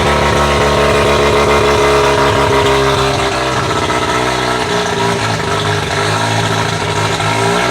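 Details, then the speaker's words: Bridgeport-ported rotary engine, naturally hard to start, idling to reach operating temperature: loud, choppy, brapping idle that stays rhythmic and even; running as it should once the starting procedure was worked out. "all right boys so it looks like we cracked the code right we got the right recipe to get this thing running now we figured out how to get the thing started"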